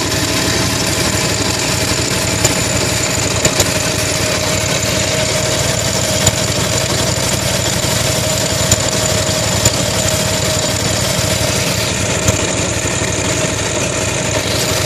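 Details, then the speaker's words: 8242 machine running: constant rough rattling clatter around the clutch; clutch on other side already replaced for suspected bearing, same noise remains; owner suspects this side's clutch bearing, side-to-side play noted. "I replaced my clutch on the other side because I think the bearing was going out and it's still making the same noise so I'm wondering if this side is going out also because it doesn't sound too healthy"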